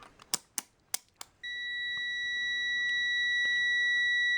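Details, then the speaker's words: Cen-Tech CM300 (blue Harbor Freight) multimeter switched to continuity with the leads shorted: a few sharp clicks, then a steady high-pitched beep; the continuity beeper works normally, though the meter reads high. "Turn this on. We'll put it on. Here's our beep test right here."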